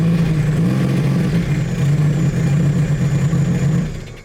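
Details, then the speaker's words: 300hp supercharged 12ft aluminum mini jet boat on water test after rebuild: deep steady engine drone holding an even note, then shut off; runs much smoother, cleanly with no odd noises, normal running. "Oh my gosh, it's so much smoother! And it gets out of the"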